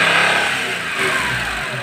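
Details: Daewoo Matiz after tightening a loose bolt on the alternator bracket or engine mount, with loose washer and nut, that caused half a year of knocking and ringing: engine revs up and settles cleanly, no rattle or knocking; sounds healthy.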